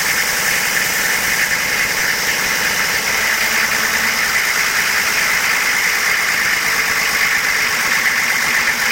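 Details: AQAD40B engine at idle: a bright, fast mechanical rattle rides on top of a steady idle with no change in pace. Abnormal noise, cause not yet identified.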